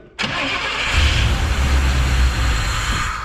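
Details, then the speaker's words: Abandoned K5 Blazer given starter fluid: engine catches, roars with a rough low rumble for about three seconds, then dies; fuel in tank believed bad, not running on its own fuel; cause not confirmed. "You hear that? That's sound of life, baby. That is sound of life."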